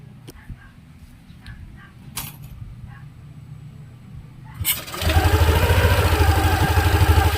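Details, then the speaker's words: Yamaha NMAX scooter after CVT cleaning and reassembly with CVT bolts torqued using a new torque wrench. Clicks and handling noise, then the engine fires at 5 s into a steady, even idle with no scraping or rattle: quiet again, normal idle. "Yan, tahimik na ulit mga kaduit at nalinis na natin ng ayos."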